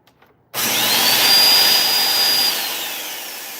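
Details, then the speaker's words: Bissell 2X vacuum motor run on its own while checking a no-suction complaint: quick spin-up to steady high-pitched whir, smooth even tone, no rattles; normal vacuum motor run, motor judged fine. "And if your motor sounds something like this, your motor should be fine. I think this motor's okay though."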